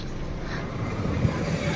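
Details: Maruti Suzuki Wagon R, CNG/petrol, brought in for vibration and weak petrol pickup: quiet, low, steady idle with no shake or stumble; vibration gone, normal idle.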